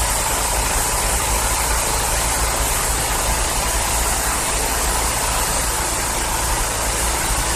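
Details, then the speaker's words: 2012 Yard Machines 11A-A54R729 21-inch push mower, Briggs & Stratton 158cc 500 Series engine, after new HIPA carburetor and tune-up kit; cold start with primer bulb, starts on third pull, steady even roar without misses or surging: running healthy. "Awesome. Like the third pull started right up. Great. A good save there."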